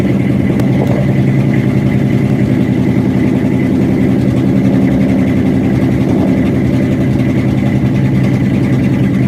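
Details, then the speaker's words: 1967 Ford F250 crew cab after fuel tank cleaning and new fuel hose and filter, about 70 degrees out: low, uneven, lumpy run with no clean idle, sounding fuel-starved; owner suspects rust clogging the filter or the fuel-line loop. "Alright, so similar problem to yesterday, but not quite as bad."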